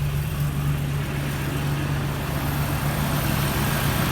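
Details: Jeep rebuilt from hundreds of pieces, running with no check engine light: smooth, steady idle with an even low drone and no knocks or misses. The engine purrs and sounds healthy.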